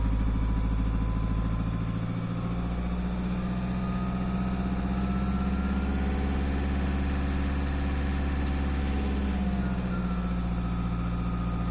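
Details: Volkswagen Passat B6 2.0 TDI diesel at idle: a thin whistle drifting up and down over the steady diesel clatter; turbocharger whistle.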